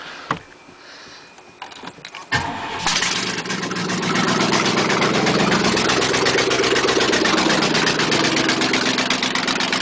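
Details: 1996 Chevy 2500 Silverado V8 cranks, starts and idles roughly with a bad, steady deep rod knock about four times a second; it runs very badly and needs an engine.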